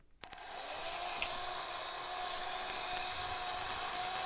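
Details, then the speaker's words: Vintage Triang/Hornby model railway locomotive, stored in a shed box for years, motor tested: small motor whirrs up to steady even high pitch, no knocks or stutters; wheels spin, runs normally. "the wheels are spinning. Well, you can see that, you can hear it, certainly hear it. The wheels do spin."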